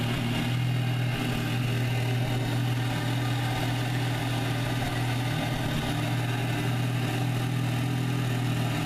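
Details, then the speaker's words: VW MKVI GTI cold start before a CTS Turbo oil catch can install: the petrol engine idles with a deep, uneven hum, misfires and a wavering air surge. The problem persists. "same thing as before same cold start video that I had before where you get misfires in air surge"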